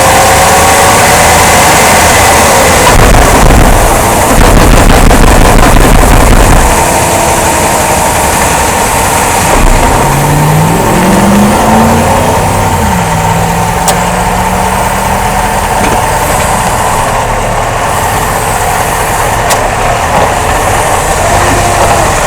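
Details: A 2005 Jeep Grand Cherokee gives heavy low thumping at about three a second under road and engine noise while driving. It was caused by a worn rear rubber support bushing on the front drive axle and a bad front driveshaft universal joint that needed replacing.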